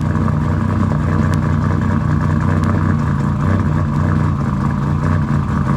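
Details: After installing RJC V-band exhaust gaskets: strong, steady engine note with deep even drone, no ticking or puffing; exhaust sounds sealed and healthy.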